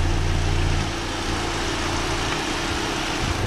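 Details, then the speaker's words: 2013 Chevrolet Spin LTZ, petrol, manual, engine bay open: idle described as still very smooth, engine and underside dry, engine judged very healthy. Even, smooth idle with a soft steady beat, no knocks or ticks; normal idle. "nah ini untuk suara mesinnya masih sangat halus sekali bagus"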